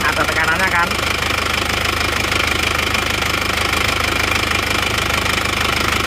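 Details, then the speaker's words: Isuzu Panther automatic diesel at idle: loud, chuffing rattle at about two pulses a second, even and not misfiring, with blow-by smoke spurting under pressure and an oil-wet manifold; mechanic judges the cylinder liners badly worn. "jadi suara mesinnya seperti itu ya sebenarnya rata maksudnya rata itu dia tidak pincang tapi ngasap bocoran kompresinya itu ada lumayan pasti linernya sudah gentong"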